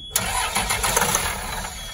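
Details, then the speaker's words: 2004 Blue Bird SC2000 bus, diesel, long-sitting, after rewiring from a diagram restored gauge sweep: short burst of brisk even starter cranking that turns the engine firmly but never catches; cranks, no start. "It's a good start, sort of. I mean, it didn't start, but."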